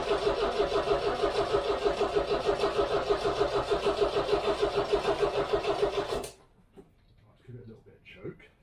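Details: 1969 MGB, dry stored and unstarted since 2001, cold start in neutral with fuel system primed: starter churns steadily at about three compression pulses a second for six seconds without catching, then stops; cranking, no start.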